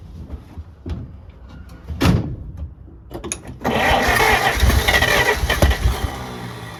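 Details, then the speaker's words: 1948 Pontiac Silver Streak straight-six, sat since early 90s, first start: long cranking, ragged catches, then uneven sputtering run barely holding on; won't stay running without throttle and won't restart off its own fuel once it dies, cause unknown. "I started up a couple times afterwards just to see how long it would stay running and truthfully it is not long you pretty much have to be in the throttle the whole time"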